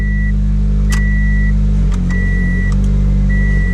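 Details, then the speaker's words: Toyota Corolla at idle after replacing the AC compressor relay: chime beeps, then a soft click and slight drop in engine note as the AC compressor clutch engages; AC now working. "AC kicks in I can feel the compressor kick in now you hear it click"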